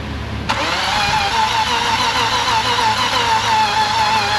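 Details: Engine cranked on its own battery: starter spins steadily, about three turns a second, never catches; spark plug found gas fouled afterward, timing codes to be checked; cause not confirmed.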